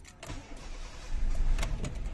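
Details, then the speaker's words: 2008 Honda City PGM-FI automatic, fourth ignition coil just replaced, no fault codes: brief cranking with uneven bursts before catching into a rough idle; somewhat hard start. "Yun. Medyo hard start."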